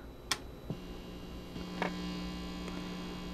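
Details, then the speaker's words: Amplifier board powered with unterminated inputs and a twisted-pair cable; switch-on clicks, then a steady low buzzing hum, with possible shrieking feedback. The floating inputs are picking up mains noise. "as you can hear is picking up some noise and sometimes and headphone we're be warned it's going to you might get loud here you get a shrieking sound as well ah if there is a lot of feedback"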